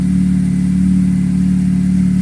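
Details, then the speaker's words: Honda FD VTEC 1.8 engine after repair of hard starting; it started with one click. Steady, even engine hum with no misses or stumbles. Normal healthy running. "Ganun nakabilis. One click. Ganun nakabilis siya paanda rin. Wala na redundo nangyayari."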